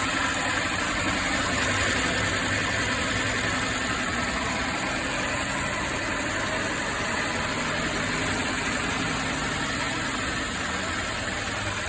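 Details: Mercedes M264 inline four-cylinder petrol engine idling with an uneven, stumbling misfire caused by a damaged cylinder head valve. The cylinder head must be removed to check the mechanical components.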